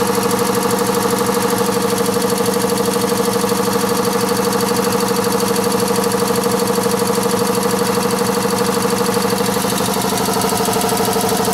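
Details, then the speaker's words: Newly replaced water-system compressor, heard through a wall while pressure was down to about 50 psi. Steady, even motor drone with a regular pump beat of about three per second and no knocking, rattling or shaking; running normally. "so that compressor is just behind this wall here it's not shaking nothing and I can just hear it there so it's not too bad"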